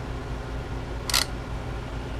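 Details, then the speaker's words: DYMO LetraTag 100H label maker, hardly used, failing when printing: quiet hum then a sharp rattling clunk like drive gears stripping, followed by a tape jam error; different tape spool and reseating tried, fault seems internal. "yeah it's like a gear slip and then it says uh tape jam"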